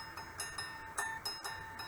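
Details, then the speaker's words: Scroll saw with a freshly mounted, tightened blade: repeated plucks ring out a clear, high, sustained note, the high C that signals correct tension. Blade ready to cut. "That's the high C that I like. That tone tells me it's ready to go."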